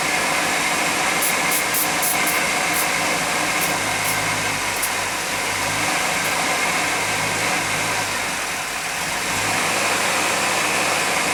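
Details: 1991 GMC Jimmy petrol engine idling: steady hiss over a low uneven rumble; rough idle, owner searching for a possible vacuum leak.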